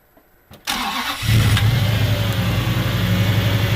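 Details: Toyota 1UZ V8 turbo swap, engine that failed on track with rattling from suspected poor, hot, wrong-grade oil: it cranks, catches and settles into a rough knocking idle that quickens with revs; big end bearing failure.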